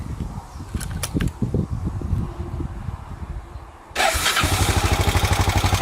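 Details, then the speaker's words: Honda XBR 500 single, idling after valve adjustment, exhaust clearance changed from 0.12 to 0.19 mm, intake 0.15 mm: sharp steady ticking each beat; exhaust clearance too loose, too noisy, to be reset to 0.15 mm. "start um so standard was 19 for the exhaust no stad was 12 for the exhaust and i've now got switched to 19 which seems too noisy"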